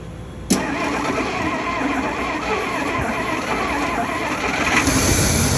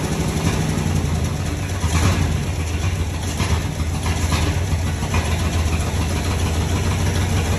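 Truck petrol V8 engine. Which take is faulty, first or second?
second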